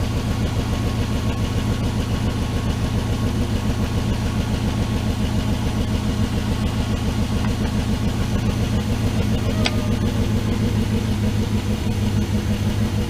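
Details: 1979 Dodge D100 Adventurer V8 pickup, first start after sitting and electrical repairs: even, low burble with a steady rhythm and no tapping or stumbling, oil pressure good; smooth, healthy idle.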